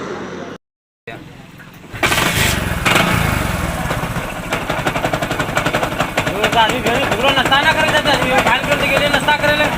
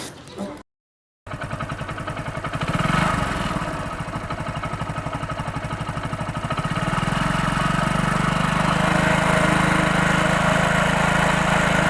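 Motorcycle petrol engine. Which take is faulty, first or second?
first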